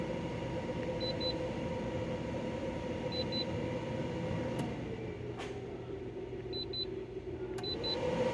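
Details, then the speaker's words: De'Longhi Pinguino portable air conditioner, model PAC AN370G1W, on full blast: control panel chirps in short pairs, then steady fan hum and low compressor drone, no rattles or grinding; cooling well, running normally. "The model number is PAC AN370G1W, and it's on full blast. I checked to make sure it's on full blast. As you can see, this thing was getting nice and cold like an ice machine."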